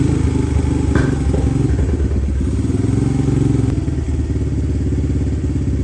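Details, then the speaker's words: 2017 Honda TRX250X ATV, believed 2017, bought thrashed, first start attempt: single-cylinder thumping unevenly, stumbling and sagging, dies even with choke fully on and needs constant throttle with choke off; stalling, won't idle. "all right so although it does start it does not stay running that's with the carb choke fully engaged and with the choke off I have to continue to give it gas"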